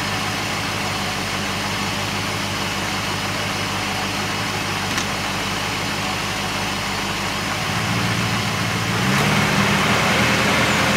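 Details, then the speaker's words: Porsche 928 with CIS fuel injection, high idle of 1500-1800 rpm, mixture being re-tuned about an eighth of a turn at a time: fast idle with an uneven beat and occasional skipped firings; still missing from a lean mixture. "I think we can hear it now missing so I've done about another eighth of a turn and it's missing"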